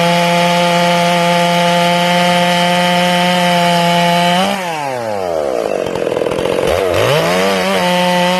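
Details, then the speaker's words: Ported Stihl MS461 chainsaw with a limited coil on its first cuts: it screams at full throttle, bogs into the cut, then burbles and climbs back, four-stroking as it enters and exits the wood, showing a proper carb tune. "now notice that you hear the saw four stroking as it enters the wood and as it exits the wood let's listen for that again listen for for stroking"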